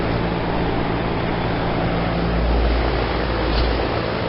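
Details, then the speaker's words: 2016 Lennox Merit Series 3.5-ton heat pump outdoor unit running in heat mode: steady, even fan whoosh with compressor barely audible, blowing very cold air; normal operation in heat mode. "I can't even hear the compressor. All the noise seems to be coming from the fan."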